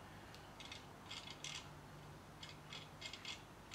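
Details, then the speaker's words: SIEG X2 mini mill headstock, gears stripped years ago, spindle turned by hand in high speed: bursts of dry, crunchy clunking clicks as teeth skip; stripped gearbox gears. "now you can hear it Go clunk clunk yeah hear it so the gears I have stripped in there as well"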